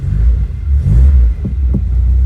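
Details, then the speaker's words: 1991 Vauxhall Nova GSi four-cylinder, off the road since 2005, idling after a cold start. A low, even rumble with a couple of quick rev swells settles cleanly back down, sounding sweet and healthy. "oh that sounds absolutely Sweet let's uh go back outside the car again"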